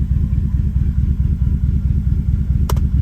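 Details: BMW E39 V8 at idle, no exhaust fitted: deep lumpy idle with an uneven pulse about twice a second, the beat stumbling now and then; random misfires, code points to cylinder one, cause not confirmed.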